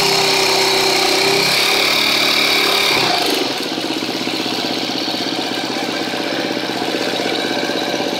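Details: 2013 KTM 250 EXC-F Six Days just after start, idling: sharp light tick repeating about four times a second over the single-cylinder idle; owner suspects a bad cam tensioner, unconfirmed.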